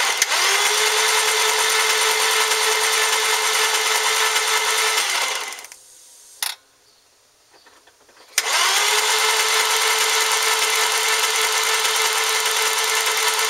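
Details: 1996 Audi A4 2.8L cranking: steady starter whir, engine spins evenly about five seconds twice but never fires; crank, cam, knock sensors and fuses checked OK, cracked radiator with no coolant; cause unknown.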